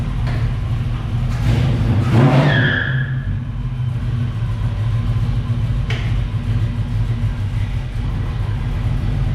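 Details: 1978 Pontiac Firebird V8 with a small cam, first start with new exhaust after engine install: deep, slightly uneven idle with mild lope and one quick rev blip; all cylinders firing, healthy.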